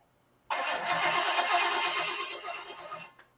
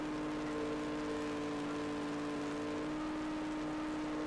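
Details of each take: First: Freshly rebuilt Chevy small block 350, first start with open pipes and carb primed: fires instantly, races at a fast busy idle; timing off, RPMs seemingly too high, will back it off; water pump possibly leaking. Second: Freshly rebuilt Chevy small block 350 on an engine stand during roughly 11-minute cam break-in: steady even high-rpm drone, no knocks; running great despite valve cover oil leaks and heat, box fan insufficient for cooling.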